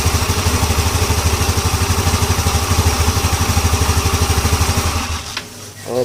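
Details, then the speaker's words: Yamaha Ego LC scooter idle after replacing a loose CVT part that had caused a loud noise: an even, steady idle with no rattle or clatter from the belt drive, then shutoff. Transmission noise is gone. "Jeng ah orang nampaklah sendiri dia punya bunyi sudah hilang tadi sebelum kita ganti benda ini memang cukup kuat supiyo longgar ya"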